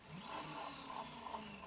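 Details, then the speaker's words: Dirty Gazelle bottle dynamo with slight axial play, fitted to a Sparta Athena bike in place of a seized Basta Trio; quiet, steady whirring drone with no grinding or rattle, working as expected but louder than hoped. "And it works as expected. Although I had hoped for a better, a quieter result."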